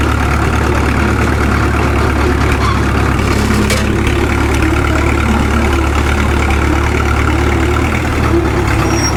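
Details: Caterpillar D2 #5J1113 diesel crawler after swapping the leaking number 3 injector for another: steady, even, smooth idle with no misfire, the intermittent pop gone; owner says it sounds better than ever since it ran.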